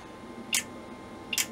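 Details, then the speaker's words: Stanford Research Systems SR630 thermocouple monitor, bought faulty (LED display, power supply and RCD tripping issues), powered on: two crisp relay clicks about 0.85 s apart on channel switching, normal operation. "and I can hear the relays clicking as I'm changing the channel at the back there so we've got something"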